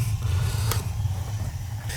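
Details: 12-year-old gas water heater that was not heating water, after the pilot was relit: steady, even low burner roar with no popping or sputtering. Firing normally; the pilot had likely gone out or been lit incorrectly.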